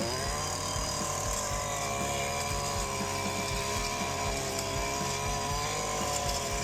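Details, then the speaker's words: STIHL FC 56C edger after repair for not reaching full throttle, cutting a walkway under load: a steady high two-stroke buzz with even revs and no bogging or surging; the blade keeps spinning and it runs and cuts well. "That works out pretty good. Still spinning. Looking good. So, that sounded really good. Ran really good. Cut really good."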